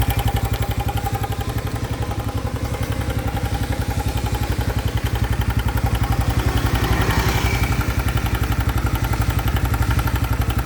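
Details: 2025 Honda Biz: a new engine noise appeared after riding under 70 km/h. A low, even putter of about four beats a second carries a dry clatter on top; the mechanical engine noise is unexplained.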